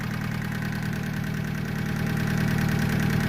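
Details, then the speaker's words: Honda Civic with a freshly installed D16Y7 engine, first start after install, cold idle: quick, even clatter over the engine hum, louder than normal; owner had adjusted the valve lash and hopes it quiets once warm, cause unconfirmed. "Well, she starts, she runs, and she's kind of noisy."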